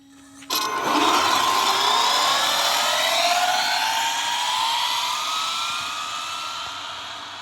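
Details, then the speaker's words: Bandit RC car speed run, Monster X ESC, stacked 2S plus 4S Redline batteries, geared down: clean motor whine climbing steadily in pitch with no stutter or cogging; lower gearing makes low-speed response much smoother, smooth full-throttle run. "right off the bat it's already a lot smoother and that's to be expected when you go down on gearing it makes low speed response way more smooth"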